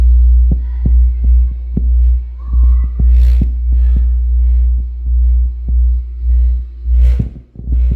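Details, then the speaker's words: Polk Audio PSW10 subwoofer class-D plate amp fed 60 Hz test signal: steady hum with irregular sharp crackles and pops when turning the volume pot; dirty, worn volume potentiometer. "you should be able to definitely hear the crackling sound now"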